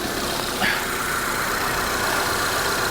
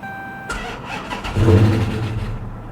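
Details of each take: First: 2022 Honda Civic Sport, 19,000 miles, salvage auction: steady even idle hum with no knocks, ticks or misses; normal idle. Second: 2022 Honda Civic Sport at salvage auction, started on booster pack after sitting; short crank, catches and flares briefly, then immediately dies and loses all power.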